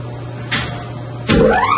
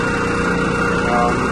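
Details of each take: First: Single chilled-water pump serving two York YMC2 chillers, after a new Duraflex 30 coupling was fitted to fix wall-shaking vibration. It starts with a clunk, ramps up quickly and settles into a steady, smooth hum, running normally. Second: Single chilled-water pump, about a year old, serving two York YMC2 magnetic-bearing chillers in series, vibration heard through walls: steady rough drone with fluttering low rumble from a torn Duraplex coupling and misalignment.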